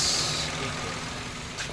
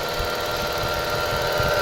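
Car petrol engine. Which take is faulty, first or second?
second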